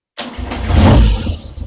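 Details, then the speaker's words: Triumph Trident T160, engine already warm, first start after re-jetting carburettors (needle jets) for poor running around 2,500 rpm and removing exhaust rocker box for oil leak: catches instantly with a deep roar, settles to steady tickover; normal start. "There you go. Immediate gray tick over. Good."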